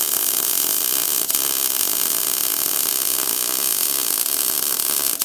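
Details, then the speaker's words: R-Tech MIG181 digital MIG welder on factory settings, 0.8 wire, 5% argon gas, lap weld on 0.8 steel plate: steady crisp frying sizzle with no popping, a happy welder; welds penetrated fully. "You hear the noise it's making the noise the MIG welder makes when it's happy. You can see all the welds penetrated all the way through."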